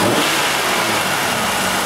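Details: 1996 Buick Century 3100 engine, P0300 random misfire, throttle snap: engine roars up but ragged and uneven; no-fuel misfire on cylinder 5 from a Multec 2 injector sticking closed, shown by high spark line.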